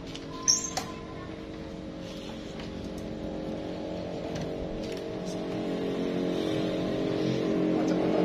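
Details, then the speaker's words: Verza single-cylinder bike that had a very rough cam chain tensioner noise, tested after reinstalling the tensioner. Smooth, even idle and revving with no chain rattle or ticking, confirming the cam chain and tensioner were the problem. "oke suaranya bagus sekali coba digas digas lepas nah halus suaranya"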